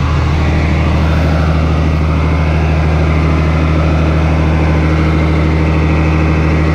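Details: 8300T truck diesel after an engine rebuild, at final assembly before a test drive: deep, steady rumble holding even under a touch of throttle, with no knock, miss or rattle; normal running under light throttle.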